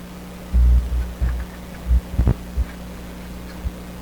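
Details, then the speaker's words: Sparton 1567 tube radio, loose tube socket being disturbed; steady low hum with loud intermittent throbbing bursts; socket terminal suspected, cause not confirmed, plan to resolder its connections. "Wow I really can't nail down any particular determination why this hum some of these sockets the socket itself can have trouble"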